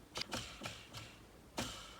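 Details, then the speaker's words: Jigsaw disassembled for repair, dirty inside; bearing turned by hand gives quiet uneven dry clicks and scraping, worn-out bearing left in place as no replacement available. "là le roman je peux déjà te dire qu'il est mort malheureusement je n'en ai pas donc ça va rester comme ça"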